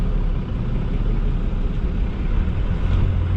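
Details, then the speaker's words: Diesel truck with about 320,000 miles, idle raised to roughly 810 rpm: a deep, even rumble as the clutch comes out, pulling cleanly off idle with no bogging or stumbling. "raise the idle up as well it's at like 8 10 something like that so should be a lot better pulling and picking up from idle i'm gonna let the clutch out"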